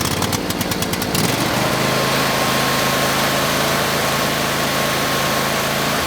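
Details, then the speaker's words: Husqvarna YTH22V46XLS yard tractor, Briggs & Stratton Endurance 22 hp V-twin (Nikki carb), 181 hours, stored under tarp in winter: engine surges between high and low idle instead of holding steady; fix involved tune-up and fuel pump. "That is how it was surging. It's going high to low idle."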